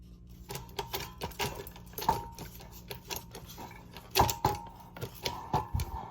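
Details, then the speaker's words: Hunter ceiling fan salvaged from a scrap pile, spinning with uneven clacking and ticking over a low motor hum; worn motor bearings, described as locked up, with the switch housing broken. "yeah this fan actually spins now the bearing sound terrible as you can hear I'll insert a clip of what I was dealing"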